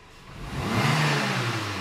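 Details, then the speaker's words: Renault Clio that misfired at low revs, acceleration test from idle after diagnosis of plug leads and spark plugs: revs climb smoothly and settle back with no stumble, cut-out or misfire; normal acceleration. "e pisou respondeu giro sobe liso sem falhas sem corte sem engasgar"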